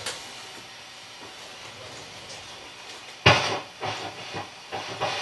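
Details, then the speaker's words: Mackie SR24-4 mixer being serviced with pots cleaned: soft hiss at high gain, then irregular scratchy crackle bursts each time the knob moves; this potentiometer track is dirty and noisy, needing cleaning. "as I turn it up you can hear the pot making noise this one not so much when you turn it up a lot you're getting a lot of hiss but it's not so much noise from the pot itself there's one that's got some noise in it"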